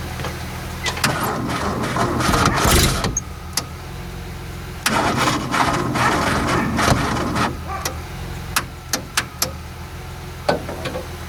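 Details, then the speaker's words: Renault R10 sitting over 20 years under a pine tree, day three of start attempts, jumper leads added: fast starter cranking bursts with uneven catches that never run up; owner suspects poor battery terminals. "that wants to once the fire but it's got no proper no proper terminals on the on the battery that could be an issue"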